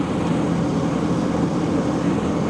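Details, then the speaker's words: Non-running 2005 GMC Savana Regency conversion van (Coronado LX), now running, heard standing right beside it: soft, even, low hum with no ticks, knocks or wavering; very quiet normal V8 idle. "listen to it you can't even hear this thing run I mean I'm standing right on"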